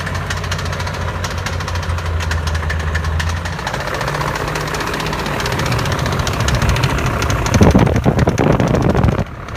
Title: E39 M5 clicking sound